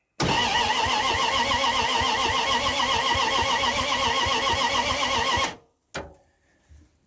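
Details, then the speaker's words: 1978 Dodge D100 carbureted truck, long unused, new fuel pump back-fed with gas: steady starter cranking about four turns a second for five seconds, never firing; crank, no start, fuel delivery suspected. "All right. Nothing there."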